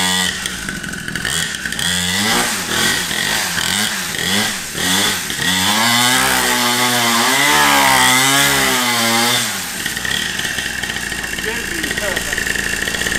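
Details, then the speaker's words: Cheap Temu 49cc two-stroke pit bike, brand new and just started: raspy buzzing blips, then a held howling high rev dropping back cleanly, sounding like a chainsaw; engine runs freely. "I'm ready for a ride, man. Sounds just like a chainsaw."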